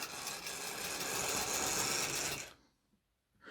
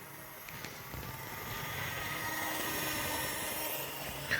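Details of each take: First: Old analogue model steam locomotive with a known slipping motor, run up on the controller: harsh, high buzzing whir under power, much louder than it should be, then it cuts out. Loud abnormal noise from the motor or gearing. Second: Older analogue model locomotive on a test track at about half speed: soft steady motor whir with light even wheel clicking, no catches or stutters; runs nicely, normal running.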